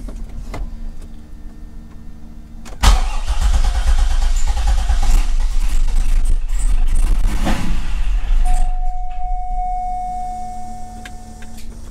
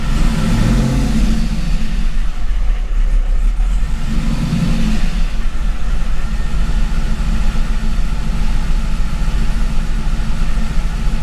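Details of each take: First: Gen 3 LS1 with 90mm LS3 gold-blade throttle body on 411 PCM, tweaked in HP Tuners, no wiring changes: cranks and catches into loud, lumpy cold idle that hunts then settles; rough cold start. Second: C5 Corvette Gen 3 LS1 V8 with LS3 90mm gold-blade throttle body: after a difficult cold start and a couple of blips, deep even rumble settling into steady warm-up idle.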